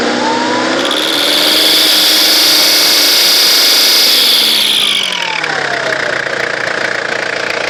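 A loud high-pitched whistle climbs and holds as the engine revs, then falls away on lift-off: an overly noisy, faulty turbo.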